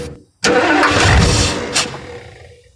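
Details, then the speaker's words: 1968 Thunderbird 429 big block, long-dormant and rusty, after freeing cylinders, adding oil and lashing rockers: catches with a sharp roar, runs nasty for a few seconds and dies; ignition loses power in run, oil pressure unknown. "ho it sound me I haven't gotten it to keep running but that's kind of okay I think I don't know if it has oil pressure at all right huh so but oh my gosh oh it's sound even just a few seconds ooh it runs it sounds so nasty"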